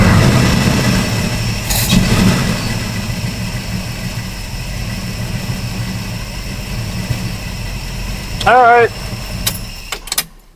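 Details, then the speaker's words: 1974 Plymouth Duster V8 with Brawler carburetor, cold idle during carb tuning; owner reports bogging on throttle and hesitation: lumpy, uneven idle with slight stumble, rough idle, cause unconfirmed (dirt suspected). "It's it's like bogging when you go to get gas. Like it's not want to take it all and it's rough a little bit to idle and Mhm."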